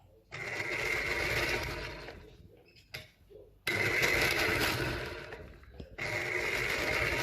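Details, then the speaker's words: Salvaged Singer 201P sewing machine after cleaning filth from the bobbin case, top not yet cleaned; harsh, clattery whirring in bursts with a rattly metallic edge, rough and dry, likely needing oil. "I started firing it up and it goes like this sounds terrible in the heads sounds terrible in here"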